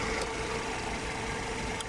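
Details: 1999 Mercedes-Benz SLK R170 idling with faint sharp tick every second or two from partially stuck heater duo valve solenoid near wiper fluid and relay box; first noticed at 200 km/h.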